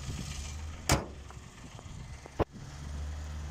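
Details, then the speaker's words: Citroen C1 with Toyota 1-litre petrol engine, just oil and filter serviced, no warning lights, idling under open bonnet: low steady even hum with no knocks or ticks, two bonnet thumps; smooth healthy idle. "So it has got the legendary Toyota 1 litre engine. Very, very strong, this engine, and it sounds absolutely superb. Just listen to it ticking over."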